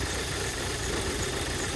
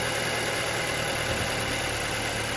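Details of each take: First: 2008 Audi A4 2.0T Quattro 6-speed manual from salvage auction, first start in very cold weather: rough, uneven idle with loping stumble in the exhaust beat; slight cylinder misfire at idle. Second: 2008 Audi A4 2.0T Quattro, even idle with two clean throttle blips after swapping the cylinder 1 and 2 coil packs: the cylinder 1 misfire vanished and the computer shows zero misfires, cause unclear.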